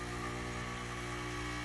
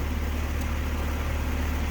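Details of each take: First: Air conditioner in cooling mode with the outdoor fan unplugged, after a hard start kit: the compressor drones with a rough buzz, and pressures stay at standing pressure with barely any change; failed compressor not pumping, to be replaced. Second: Replaced HVAC compressor running, drawing about 10 A on common and 9.6 A on the run winding against a 19 A run-load rating, with suction line at 45°F and superheat 1.9: steady, even low hum with no knocks; normal running.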